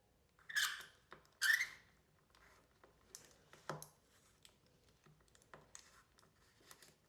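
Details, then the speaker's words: Mountain bike rear linkage pivot bolt being loosened with the shock still on: two sharp, high squeaks from the very dry bolt lacking grease. "Oh yeah, that's really squeaky. Listen to that."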